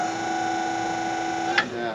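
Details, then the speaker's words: LT40 Standard sawmill hydraulics after fresh fluid and new filter (service ~150 hours overdue): steady high-pitched whine with air bubbles, near toe board roller; whine unchanged, fluid/filter not the cause. "So that high whine is the problem. That's the near toe board roller."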